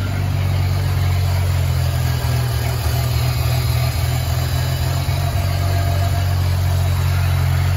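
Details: Ford 300 inline six, first fire-up after finishing turbo header, exhaust cutouts open: deep, even exhaust rumble at a steady idle with no misses or ticking; normal idle.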